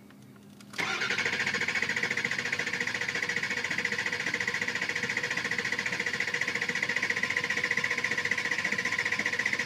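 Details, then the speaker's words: 2003 Ford 6.0 Powerstroke diesel that reportedly starts on starting fluid: steady cranking about four per second for nine seconds, no catch. FICM 49 V, ICP peaks only 410 psi versus 500 needed; injectors not commanded on. Cause not yet found. "remember it takes 500 to start this is peeking out right there at 410 the in is not being commanded on"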